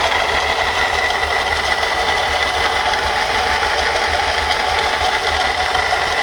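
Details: Mercedes-Benz C240 idling with a constant gritty, whirring rattle; the water pump bearing has broken, letting the pulley wobble and the pump leak water.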